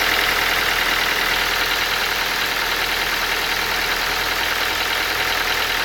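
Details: Ford Focus 2 idling: sharp, ticking engine knock about three per second over a hissy, bright background; cause of the knock not identified.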